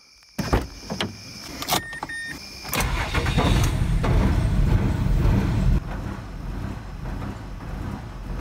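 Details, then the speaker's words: 2006 Mazda 6 after DIY spark plug and gasket work, a new throttle body, accelerator pedal and replaced throttle body pigtail wiring: starter cranks, catches, then settles into a lumpy, uneven idle; consistently running rough. "so that's it that's that that's what I got it's not running right but it's consistently not running right"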